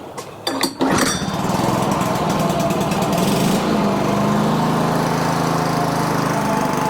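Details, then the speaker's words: Older Toro 21-inch self-propelled mower, stored dry about 10 years, cold, starting fluid used, about 3/4 throttle: after a few pulls it catches and holds steady slightly uneven buzz on choke, odd rattle noted; engine running on choke. "Interesting. Well, it runs. I'm gonna do a little bit more testing."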